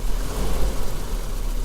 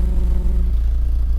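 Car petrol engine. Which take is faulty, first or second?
second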